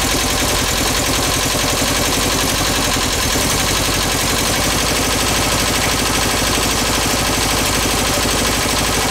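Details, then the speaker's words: Rescued VW bus engine on its first start, carb uncleaned, fed from a gas can: a ragged, skipping idle with uneven chuffs and missed beats as one cylinder drops out. A valve adjustment is planned. "that yeah what one cylinder skipping we're going to go adjust the valves"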